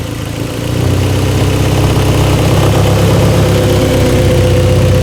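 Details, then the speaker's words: Mazda Spec MX-5 race car build at its first startup: the engine catches and settles into a loud, raspy idle with a sharp puffing tick, clearly an exhaust leak. "Definitely an exhaust leak. Do you hear that? Holy moly."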